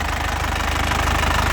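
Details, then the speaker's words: Isuzu Panther LS Turbo 2018, first owner, about 80,000 km, engine hot after use, idling: a crisp, even diesel clatter with a steady low pulse, no knocking or thumping. A healthy engine, with white smoke. "kalau mesin sehat suaranya seperti ini l renyah khas penter Ya seperti"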